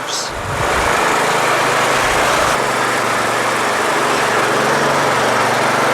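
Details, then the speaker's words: Troy-Bilt Super Bronco/Pony lawn tractor with 17.5/20HP Intek engine, ran terribly until carburetor replaced; now holds a steady, even drone with no surging or stumbling, sounds good; normal running. "sounds good sounds good fuel shutoff just in case"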